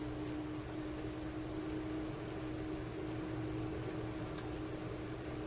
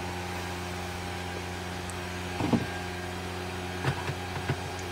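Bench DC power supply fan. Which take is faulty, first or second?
second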